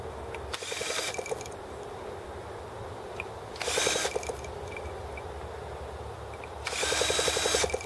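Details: T26 model engine at 3°F (-13°C), after a valve job and rocker-arm and carb adjustments: three short whirring cranking bursts, about a second each, and it never catches. Cold no-start, with the carburettor freezing as it tries to run.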